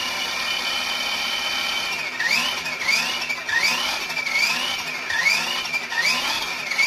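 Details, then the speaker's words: Kyosho Outlaw Rampage PRO RC truck after installing part OL009, during differential break-in with throttle blips on the right side. Gear whine rises and falls with each blip, with no grinding or clicking. The truck is inherently noisy but sounds like new; normal drivetrain. "So, and overall, you know, this truck is a noisy truck. You know, I mean, that's something that we just can't deal with. That's just, you know, a manufactured thing. But I will say, you know, this thing sounds like new."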